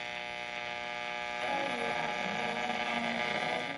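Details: Sylvania 1-251 tube radio from about 1950, not yet recapped, after alignment: steady reedy buzz with hum underneath on the station, shifting slightly while tuning, on the low AM channels; household lights ruled out, cause unknown.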